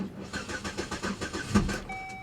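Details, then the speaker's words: Pontiac G8 GT listed as a non-runner, cranked on a jump pack on a snowy day at a salvage lot: fast even cranking for about two seconds, then it catches and runs rough; upper-end tap heard afterwards. "yeah that sounds bad oh wait it runs it's listed as a non-runner huh"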